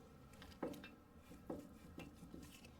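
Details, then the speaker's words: 2010 Ford F-150 with the driver-side tire off: faint metallic pops as the upper control arm is pushed down by hand, from a failed ball joint with a lot of play. Fixed by replacing the control arm. "i don't know if the camera picked up the little popping sound that was making but essentially this has gone bad"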